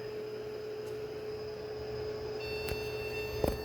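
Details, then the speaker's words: Objet Connex 500 3D printer at power-on during rebuild: click, fan running, then a steady mid-pitched continuous beep over quiet hum with no video signal to the monitor; cause unknown. "don't know if you can hear that but I'm not getting a signal hmm just getting a beep no signal"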